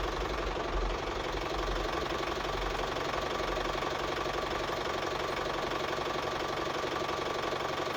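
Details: Office-owned diesel tractor that would not start because the battery was not charging, after charging-system repair: even, steady clatter at a settled idle, no misfire or hunting; running normally.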